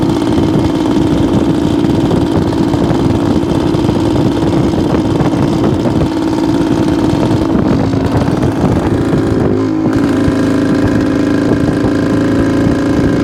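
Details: 1972 Suzuki TS250 two-stroke, possibly still cold, on road ride: buzzes along but bogs coming off idle instead of revving when opened; off-idle hesitation, owner suspects plugged pilot jet.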